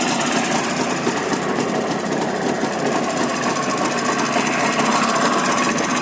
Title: Стук двигателя Ява 634